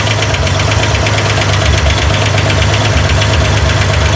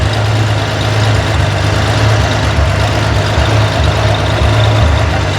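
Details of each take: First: Corvair engine on a run stand during hydraulic-lifter valve adjustment: fast, even light ticking over a steady idle, barely changing as the adjuster is turned; valve lifter clatter from excess lash before tightening to zero lash plus 3/4 turn. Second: Corvair engine on a run stand, valve adjustment at idle: steady even low idle with no ticking or clatter; valve lash correct, engine sounds healthy.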